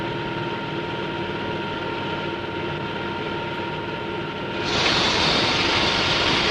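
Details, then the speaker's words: Model propeller in a water tunnel at constant rpm with ambient pressure lowered. A steady hum with fine tones gives way to a loud frying hiss as cavitation forms on the blade faces and tip vortices. "the pressure is low and the propeller rpm is constant notice the cavitation on the blade faces as well as in the tip vertices"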